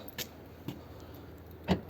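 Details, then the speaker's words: Fiat 500, family-owned about 14 years, after central locking and boot latch repair; three short crisp clunks over two seconds, each a clean single snap; lock that didn't work before now works normally. "that works that didn't work before that's one of the repairs that I've done"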